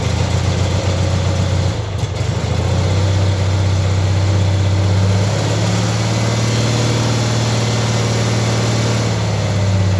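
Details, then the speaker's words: Cub Cadet 782 lawn tractor, hard cold starting with a 1-year-old 320 CCA battery, jump started with a Noco Boost GB40 pack: strong, quick cranking catches and settles into a steady low idle; normal crank and start. "so in my mind it works pretty good so that's what it's doing when it's connected and it certainly makes a big difference"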